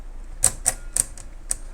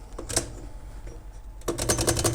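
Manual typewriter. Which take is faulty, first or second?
first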